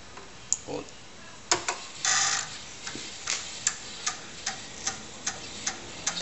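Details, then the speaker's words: Floppy drive on a Dragon 64 with a TRS-80 CoCo disk controller running Dragon DOS, formatting and verifying a disk: sharp, regular ticks about every half second over a quiet room; normal drive head stepping. "it goes now you can hear it ticking away there we'll get our little Apple screen so now starting to verify pass on the disk"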